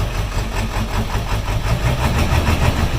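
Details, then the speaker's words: 2001 Ford F-350 with 7.3 Powerstroke diesel is hard to start and surges unevenly at idle with a little throttle; the IPR valve was replaced and the owner suspects a bad ICP sensor, unconfirmed. "now it's a little bit hard to start and when it starts it surges like this if I give it a little bit of gas"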